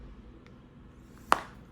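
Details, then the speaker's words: Google Pixel Fold, brand-new replacement unit just unboxed: single sharp dry hinge click heard when fingers hold the middle of the hinge at mid-fold; cause unclear, possibly affecting retail units. "interesting so I think it seems to me when I'm holding the hinge over here with my fingers actually over here in the middle that's when you hear the click not sure what that is about"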